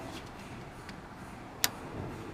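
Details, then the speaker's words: 2007 GMC Sierra 5.3L with P0455 EVAP gross leak code, under the truck during smoke test: single sharp click as scan tool commands the EVAP vent solenoid open/closed, showing it actuates normally; smoke found leaking at the rear. "I just wanted to show you this vent solenoid right here so this is what's clicking hold that you can hear"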